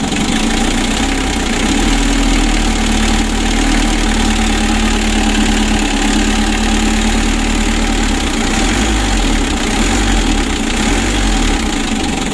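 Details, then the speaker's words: Hot Mitsubishi L300 diesel, shaking at idle, heavy blow-by and compression bubbles into the radiator, checked before an engine teardown; held at raised revs with a steady, harsh, gravelly clatter; rough when revved, cause not yet pinned down. "mesinnya serasa kasar suaranya kasar teman-teman"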